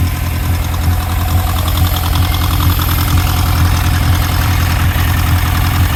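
Idle carries an uneven thump roughly twice a second that breaks the firing rhythm, a dead cylinder four misfiring at idle.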